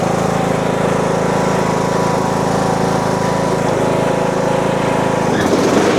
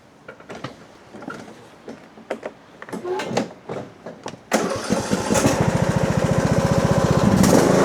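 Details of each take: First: Husqvarna 42-inch riding mower deck with blades engaged: a heavy rhythmic throb about four times a second as the deck shakes, from a broken pulley and a loose, incorrectly installed spindle pulley. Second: Husqvarna riding mower with a 42-inch deck, after replacing a broken pulley and a loose, incorrectly installed pulley: a few cranking bursts, then a steady even putter. Slight shaking is normal. Normal running.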